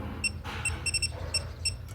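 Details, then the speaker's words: Air conditioner condenser, unit suddenly stopped cooling: leak detector at the brazed copper-to-aluminium joint gives quick, uneven high-pitched beeps, about eight in two seconds; refrigerant leaking there, showing at pressures above 5 kg, pressure slowly dropping. "냉매가 떨어지면 여기 보시다시피 자 이연부 소리가 나죠. 여기도 이연부 그죠? 소리가 나죠. 이 이연부에서 리크가 생깁니다."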